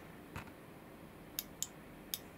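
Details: High-powered DIY e-motorbike build on the bench, back wheel spun with throttle opened: faint sharp dry clicks in pairs as a relay chatters on and off, hazard warning lights on the clock coming on; cause unknown.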